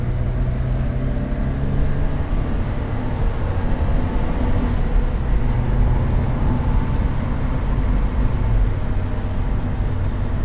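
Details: 1988 Porsche 944 on test drive after head gasket replacement and top-end reseal, compression to spec: steady even drone with road noise, pulling strongly, no knocks, misses or hesitation, no leaks; normal under load.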